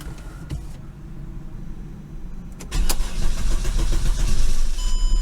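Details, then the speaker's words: 2008 Mercedes CLK350 M272 V6, very cold first start of the morning: nearly three seconds of low, uneven cranking before it catches and roars up; long crank from fuel rail pressure bleeding down after shutoff. "It's hesitated. I'm gonna leave it for a couple moments, and we'll see if it's gonna start again same way."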